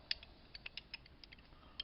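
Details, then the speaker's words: 2008 Ford Escape steering clunks and pops about a quarter turn, feels loose: old steering shaft U-joint worked by hand off the car gives irregular sharp clicks and dry creaks, lots of play, notchy and sticking; replaced with new Ford joint. "All kinds of play. It's real notchy and gets kind of stuck."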